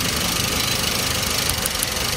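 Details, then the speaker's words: 2005-era Toyota Avanza 1300cc non-VVTi at idle: fast, sharp, high-pitched crackling ticks of spark leaking from ignition coils, commonly coils 3 and 2; coils to be replaced, not the plug wires. "Oke ini posisinya ya tuh apinya tuh jadi adanya di koil ini ada bocor yang sering koil nomor 3 sama nomor 2"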